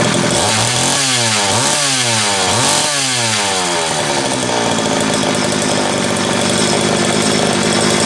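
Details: Homelite 330 two-stroke chainsaw after intake boot replacement, the only fault found: a few sharp revs climb and fall, then it settles into an even, steady high-pitched run; oiler starting to pump; healthy.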